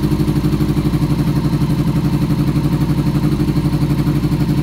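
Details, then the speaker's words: 2000 Yamaha R6 before carburetor cleaning, carbs out of sync and vacuum lines found disconnected: lumpy uneven idle with steady chuffing beat about four per second, sounding like cutting out; one cylinder not firing. "no traemos funcionando un cilindro ese es el problema que trae la mamalona escuchen cómo escucha como si hiciera corte"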